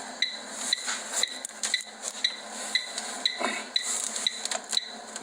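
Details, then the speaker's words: Commercial plant room gas pipework, boiler isolated, gas sniffer held at a joint on a pipe with lagging moved aside: sharp high clicks about once a second; detector alarm at leaking joint. "Oh, listen to that bad boy. I'm going to check other areas as well, because there may be more than one area leaking."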